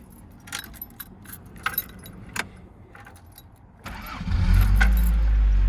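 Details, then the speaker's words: 1986 Toyota MR2 GT (AW11) cold start: keys rattle, engine catches within a second and settles into steady even idle; fires right up perfectly, though still slow to warm up or show warming. "You can hear it fires right up perfectly. It is still a little slow to warm up, or at least to show that it's warming up."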